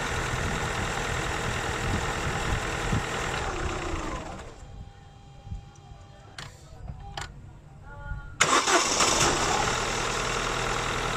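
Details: Holden Astra 2000 hard start: engine cranks long for several seconds, pauses, then finally catches and revs up; battery tested at 80% reserve capacity, crankshaft position sensor judged faulty from oscilloscope waveform, weak battery possibly contributing.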